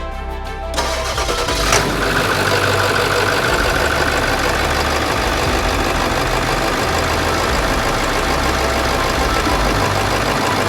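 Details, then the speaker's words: Late 1999 Ford F-350 7.3 Powerstroke diesel after engine wiring harness replacement, block-heater warmed, cold garage: short crank after wait-to-start light, then catches and settles into a steady, even idle with no misses; starts and runs fine. "okay anyway I couldn't be happy you hear that thing purring like a kitten fantastic"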